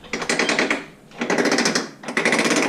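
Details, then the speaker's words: Honda Fourtrax TRX300FW with a newly installed prototype Torq Locker, turning corners in two-wheel drive: bursts of rapid, sharp ratcheting clicks. This is normal locker ratcheting and should quieten once it breaks in. "now you do have some ratcheting you'll hear going around corners here that totally normal it'll get quieter once it breaks in a little bit and everything doesn't bother me at all"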